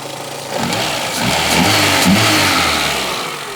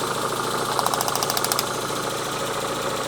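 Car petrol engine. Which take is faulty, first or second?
second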